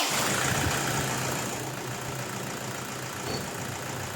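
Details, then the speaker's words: Toyota Hilux diesel, 214k km, restarted after timing belt and tensioner bearing replacement: steady idle with even clatter about three and a half beats a second, no misses, knocks or squeals; timing belt job confirmed fine. "Yun, okay na ito mga boss. Wala nang problema dito sa pagkabit ko ng timing belt."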